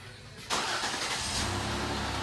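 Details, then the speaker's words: 2011 Ford Escape starting after repair of a bad exhaust leak, with the cracked pipe at the front muffler welded and rotted hangers rebuilt: smooth, even, much quieter idle with no exhaust rasp. "much quieter oh my god what a difference"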